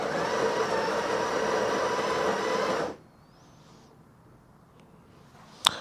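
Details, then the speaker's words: Breville 870XL espresso machine built-in grinder, grind amount between 7 and 8, retested: even, steady grinding whir for about three seconds, then a clean stop; motor healthy and unstrained. "so looks like the grinder is working okay uh the grind amounts are in a correct position usually it's between uh 7 and 8 so that's about right"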